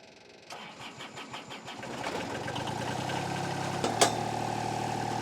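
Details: Estate-bought diesel machine just fitted with a new starter: a brief fuel pump hum at key-on, then a few cranks, a quick catch and a steady, even idle; it fires right up.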